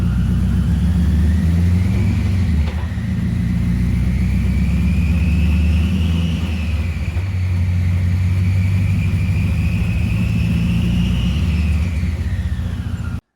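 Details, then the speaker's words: LS1 V8 in a Mazda MX5 NC, coming off the dyno after misfire fixed and fueling reset: deep, even rumble rising and falling smoothly with revs, no misfire, fueling more accurate; normal running. "so I've just got it in and off the dyno it runs all right now there's no misfire the fueling is much better now it's more accurate"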